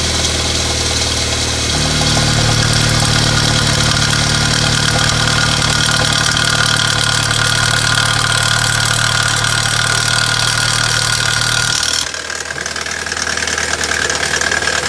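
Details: BMW N43 petrol engine rattling and clattering after a cold start over a rough idle; intermittent fault 2A99 (crankshaft/exhaust camshaft reference); oil pressure control valve, oil pressure sensor, VANOS valves and chain tensioner already replaced; owner suspects timing chain, VANOS or oil check valve.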